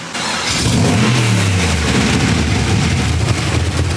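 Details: LS V8 swapped into Brian's BMW E46, first start-up on fresh cheap oil: deep, lumpy V8 blips up and settles back to a choppy idle lope, even and free-revving, running clean and healthy.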